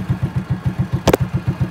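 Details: 2008 Honda RSX motorbike, all-original engine: even, steady idle of about seven or eight soft pulses a second with one brief clatter; smooth and healthy.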